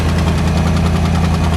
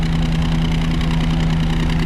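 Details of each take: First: V8 Ford Transit under restoration, running a bit rich, alternator now 14 volts (its connectors had been corroded): deep steady idle with a fast faint puffing tick; exhaust blow at the left-bank headers, which are being replaced. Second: V8 Ford Transit after draining water-contaminated fuel, refilling with 99 octane and fixing corroded alternator connectors: deep even tick-over with steady low burble, no misses; normal idle, slightly rich with occasional pop.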